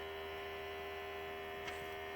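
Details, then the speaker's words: Toyota FJ40 Land Cruiser with the key on to prime and the fuel line unhooked, parked level: a steady electric pump hum that never changes tone, with no fuel reaching the filter. The pump is not picking up a prime from the tank. "Doesn't look it, and I'm not hearing the tone of that pump change at all either. It doesn't look like it's filled up the filter yet. No, we should have fuel gushing out of there."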